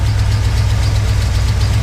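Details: 1979 International Harvester Midas Super Scout II Baja 4x4, warm idle: steady, even deep rumble with no misses or tapping; slight lifter tick noted only when cold at first start. Healthy idle.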